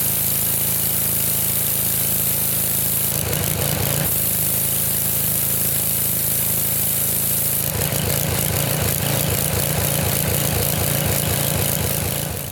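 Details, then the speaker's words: Sears Craftsman pressure washer, 6.5 hp Briggs OHV engine, 2500 psi 2.7 gpm pump, tested with pressure cranked up: steady small engine holds speed under pump load with heavier bursts while spraying; pressure rose and was felt in the wand, working. "for a test it worked good the pressure went up which means that you could see it too I could feel it in the wand so this is working"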